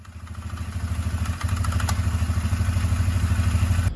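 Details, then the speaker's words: 2004 Can-Am Outlander 330 2x4 with 4,000 miles, belt cover off, engine revved: primary clutch sticks moving in and out, giving a few sharp clicks; sticking CVT primary clutch. "we'll see it here again as you're revving it kind of sticks as it's going in and then clicks and sticks as it comes back out"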